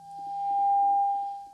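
A steady whistle near 800 Hz swells, then fades away as the oscillator core is turned off its correct setting.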